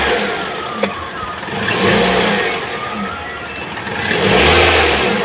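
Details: Toyota Vios 1.3 E engine revving: faint thin chirping squeal from the slipping drive belt, which has no tensioner.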